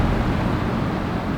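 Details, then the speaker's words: Ductless mini-split condenser, just reassembled after cleaning with water still on the fins, switched on: a steady, even whoosh of airflow with a low hum and no rattle or scrape; the fan runs smoothly and quietly. "The fan is spinning. It's actually spinning pretty quietly."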